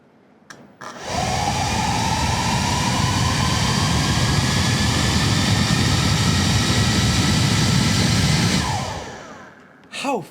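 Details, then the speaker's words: Atlas 40V brushless lithium leaf blower with its variable throttle control disconnected: starts at very low RPM, then the motor whine climbs slowly and steadily on its own over the airy blower rush. Uncommanded motor speed creep. "because when you disconnect the the variable throttle right here it starts out extremely low RPM generally and it speeds up on its own you can hear it it's gradually increasing RPMs it just doesn't know how high it's going to go"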